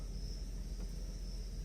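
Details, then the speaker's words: 1994 Mercedes S420 V8, recorded inside the cabin late at night after misfire repair: low, even idle rumble with no misses or surging, at factory idle speed; four spark plugs are still old. "Very steady. Exactly the same idle speed that's supposed to be from the factory."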